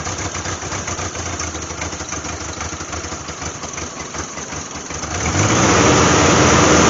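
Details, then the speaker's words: 1988 Jeep Wrangler 2.5L four-cylinder, cold start with new plugs: uneven loping, stumbling idle that smooths somewhat, rear cylinders not firing, then stalls; timing suspected; misfire, cause unconfirmed. "I would say that's no better so we're still not figh on those rear cylinders so here's the question why something's I'm obviously getting sparked to that that uh distributor and it's going around but the timing is off it's not firing those rear"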